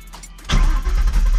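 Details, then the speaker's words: 1994-2004 Mustang GT with long-tube headers, first start after starter replacement: catches at once without grinding or hesitation and settles into a deep, steady rumble; clean, healthy start. "And there it is, you guys. Starts right up. Starts right up. Oh, that sounds so good."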